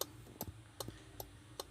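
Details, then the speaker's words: Car with an aftermarket remote alarm module wired under the dashboard below the steering wheel; steady relay clicks about two and a half per second; the faulty alarm module keeps the hazard lights flashing on their own, parked or driving. "kalau itunya mati meskipun sudah kita remote otomatis tidak akan terkonek karena tidak memberi sinyal ke modul yang kita coba disitu akan terdengar suara seperti itu ya"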